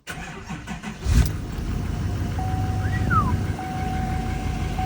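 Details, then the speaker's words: L5P diesel just fitted with a Calibrated Power 64mm turbo, turbo vane position relearned, oil checked: cranks briefly, catches and settles into a steady even idle, no knocks; good oil pressure, no check engine lights. Normal start. "Now I checked the oil, should be good. Fire this thing up. It's always nerve-wracking."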